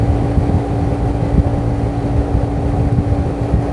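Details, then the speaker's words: Window air conditioner opened up, blower running and pulling room air in for ventilation: steady low whooshing hum of constant tone, no rattles or scraping; normal blower operation. "यहां से हवा को खींचना है और यहां से ventilation है ना यहां से देखिए ब्लोअर चल रहा है"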